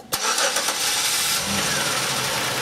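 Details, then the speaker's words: 2005 Chevrolet Impala after repairing shorted camshaft position sensor wiring and replacing the sensor (was P0335/P0520, long crank): brief crank, fires right away and settles into even idle; slight engine noise; normal start and idle. "got a little bit of engine noise on this thing but that is a fix"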